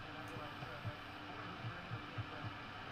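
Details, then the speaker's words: Sansui AU-3900 amplifier speaker picking up irregular soft low pops through hiss, attributed to silver mica capacitor disease. "That's silver micica disease."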